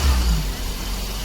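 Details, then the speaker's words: Daihatsu Dabbab after throttle body cleaning and idle adjustment, original sensor kept: low smooth idle that eases down after a slight rev and holds steady without hunting; sound now correct; normal idle. "अभी देखि आवाज सही हो गया है"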